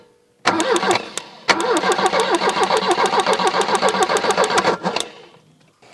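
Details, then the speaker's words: Abandoned 1984 Volvo 240 turbo, parked since about 2012, old fuel: cranks over easily at a quick even rhythm but never catches; no spark because the ignition wasn't plugged in. "oh we got no ignition that's why I can hear that spark well at least the ignition's working just wasn't plugged"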